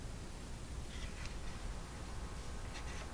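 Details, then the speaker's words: Hallicrafters TW1000 8-band shortwave tube radio, not working: the signal fades out quickly after warm-up, leaving only a low steady hum under soft even hiss with no station; suspected voltage building up and choking out a tube, not confirmed. "going down and out that was pretty quick that time still hear the hum I can hear the hum in"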